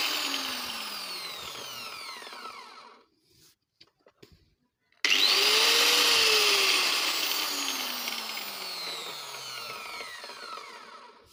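Two runs where the grinder winds up to a high whine and coasts smoothly down, with no grinding or rattle from the gears.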